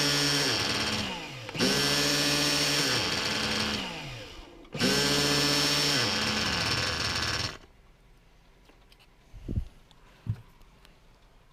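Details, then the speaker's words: Reds R5 nitro RC engine, warming up indoors with a 3/8 fuel injection line on the pipe: high-pitched revving in three sustained bursts, pitch dropping as each blip falls off, then shutdown; earlier "chipmunk" noise absent, normal running. "thank you you guys hear that sickening noise from the last video because I sure don't"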